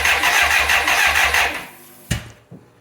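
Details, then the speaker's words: 1985 BMW K100 with fire damage that sat 6 years: two seconds of quick, even starter cranking that dies away without firing. Cranks but won't start; a fuel-injection relay with something loose inside is believed faulty. "Okay, we got the bike torn down again, trying to find out why this thing won't start. Printed off a diagnostic sheet, booklet actually, from the internet, and started looking around, and I found a relay. Something was loose inside, so I'm pretty sure that doesn't work."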